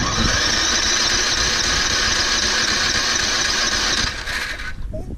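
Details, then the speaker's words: Toro Recycler 22-in model 20334, 190cc engine, electric start, auto choke, January cold start after sitting some time. Starter whirs at steady high pitch about four seconds before engine takes over; slow, reluctant cold start, battery still charged. "That one will start. Oh, it's trying. There we go. And we hold. Keep running."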